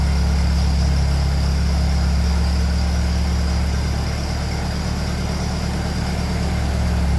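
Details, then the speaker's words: 1957 Ferguson 35 TVO tractor, cold start after sitting, after rocker shaft replacement and valve clearance adjustment: deep, even low rumble at a steady beat around four per second with no tapping or clatter; quiet normal idle, previously grew loud over time. "so that sounds lovely in quiet it did sound like this before with the last Rock shaft and then it slowly start getting loud"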